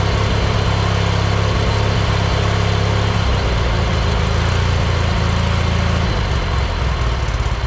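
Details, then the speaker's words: John Deere 116 riding mower, forgotten in storage about two years with mice nesting in the engine, first jump-pack start after sitting; owner suspects non-ethanol fuel helped. A deep, throaty twin putters unevenly at first, then settles into a steady, healthy run. "Well, I'm shocked that that actually started."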